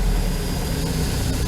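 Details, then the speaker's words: Vehicle idling, November: deep heavy rumble at idle, louder than before, no clear knock; stalls when put in drive, needs more than a tune-up, cause unknown. "Yeah. Definitely needs a little more work than just a tune-up. Like I said, I don't know what it is, but it's definitely louder."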